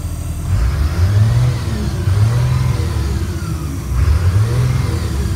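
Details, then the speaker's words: 2003 Blue Bird All American 72-passenger school bus, 82,000 miles, after idling about an hour: the deep engine note revs up and back cleanly with no knocks or rattles, though the bus is not building air pressure. "motor sounds good it revs up nice it's been sitting here on idle for about an hour"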